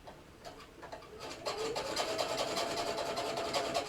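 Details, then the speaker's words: Substitute bobbin case squeaking while sewing shirring test lines: rapid rasping stitch rhythm, about 2.5 per second, with a thin wavering squeak on top; the regular bobbin case, once refitted, won't squeak, and a new bobbin case is being considered. "Now the squeak, I promise Sarah, once I put your other one back in, it won't squeak."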